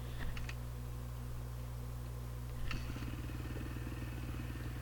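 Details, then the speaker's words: 2008 Honda CRF450R, carbureted and converted to a motard, idling cold with a steady, even single-cylinder thump and no misses; air/fuel ratio reads about 13.5–13.7 at idle. "so initial like cruising we're up in the about fourteen point o thirteen eight thirteen five and again this is all on a cold motor so it's going to change a little bit once we get up to temperature"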